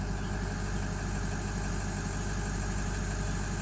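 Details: Ford F-250 6.0L Powerstroke diesel after primary fuel filter replacement and priming by six key cycles: steady, low diesel rumble with even beat, no stumble or hunting; normal idle.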